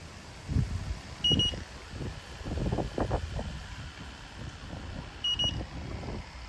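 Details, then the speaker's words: Temperzone split ducted air conditioner not cooling: leak detector gives two short high chirping alarm bursts over wind and handling noise, marking a refrigerant leak at that spot; Schrader valves later also found leaking. "Yeah, so we're getting a hit around there. I'll keep looking."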